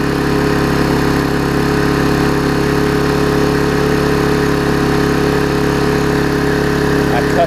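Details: Vulcan 18" mower's 3.8 horsepower two-stroke, revived with a new intake pipe and a freed rusted flywheel/magneto, holds a steady, even buzz at constant speed with no misses or surging; running properly.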